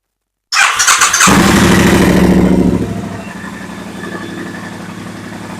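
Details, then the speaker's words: Triumph Bonneville Bobber 1200cc twin after replacing cracked spark plug caps to cure rough idle: fires up with brief rev, then steady even idle with no misfire, popping or stumble; normal running. "right so yeah that seems to fix the problem um I'll keep the B run the road in a minute just to make sure it's all huny Dory"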